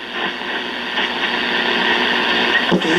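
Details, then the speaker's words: 1958 Philco F-750 clock radio after repair, with two bumblebee capacitors and an out-of-tolerance 68-ohm resistor replaced: steady, clear station sound under light hiss with no crackle, fading or dropout. Reception is normal. "okay there's a 1958 bill cuckoo clock radio playing again"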